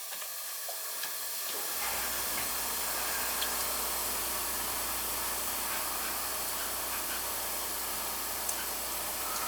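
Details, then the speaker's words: Steady hiss starts as the shut-off valve is reopened and holds constant: water escaping under pressure from a hidden supply-pipe leak in the basement ceiling, location not yet found. "sure sounds like it's coming from over there."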